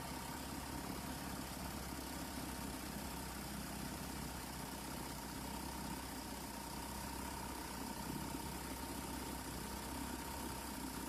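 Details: Vintage 1971 Sears ESKA 5hp outboard after cleaning the fuel tank and fitting a new spark plug, high-speed adjustment tuned: steady, even two-stroke buzz held over ten seconds with no misses or surging; longest run so far. Normal running.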